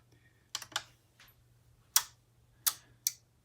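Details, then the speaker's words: Malvalve Headamp 3 MKIVa tube headphone amp switched on for power-tube biasing: six crisp clicks at uneven intervals over a faint steady hum as relays of the tube-saving circuit step power up; normal relay clicking at power-on. "you uh hear the clicking that are the relays yeah and the M actually has uh some kind of tube saving circuit so it slowly increases the power in order to properly warm up the tubes"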